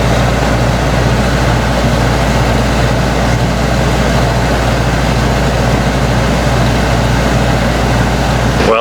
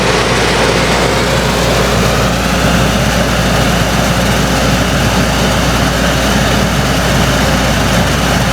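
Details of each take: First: Winnebago Ekko van's ducted rooftop air conditioner above the bedroom, after a cheap noise-reduction mod: steady, even low hum and air rush with no rattles or buzzing, a few decibels lower and noticeably quieter than before. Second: Ducted roof air conditioner above the bedroom in a Winnebago Ekko van, phone between the bed pillows reading about 66 dB baseline with filter on: steady loud air rush over low, even compressor hum. Excessive noise from air leaks at the filter, before foil-tape sealing.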